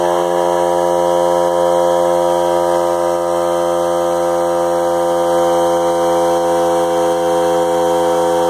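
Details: Harbor Freight Central Pneumatic 95275 3-gallon oilless compressor (100 psi max), bought non-working and repaired, running after on/off switch rewiring: steady even motor drone with clean constant tone, no knocks or stumbles; normal running.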